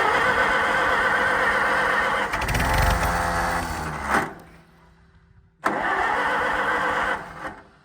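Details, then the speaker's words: Tractor cold start after fresh battery and gas, choke partially on; catches at once and settles into a steady, even chuff about three beats a second, oil pressure showing; clean, healthy start. "so that that's that's it I mean it's running the chok's partially on we'll leave that on for a minute"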